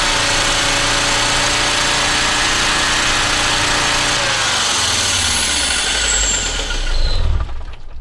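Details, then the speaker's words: Audi 2.2 Bosch K-Jetronic with screwdriver propping the metering unit sensor plate open: engine runs fast and loud at a steady high rev, usually about 3000 rpm plus, no settling to idle, then winds down. "um but if I put the screwdriver in which I'll try next I'll see if it will spray idle but it it usually goes to about 3000 revs plus so I'll give that a go now"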